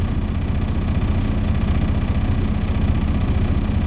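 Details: Diesel truck held at fast idle during an air brake test. Steady, even drone with a regular pulse and no knocks while the air system builds toward governor cutout. It was just serviced and there are no check engine lights. Normal.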